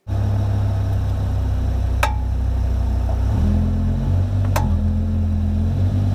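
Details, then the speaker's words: Car driving, cabin recording: sharp single clicks a few seconds apart over the engine and road drone. The dealership found the cause to be a worn inner tie rod. "I've been struggling with finding out what's causing this sound it's a clicking sound as you heard on the video"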